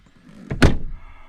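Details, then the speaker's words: 2005 VW Passat GLX wagon 2.8L B5, rear driver-side door, functional test after repairing the latch cable, handle and latch. One firm, solid thunk with a short lead-in click and no rattle; the latch catches cleanly. "Door shut, locked good, pulled open, back in"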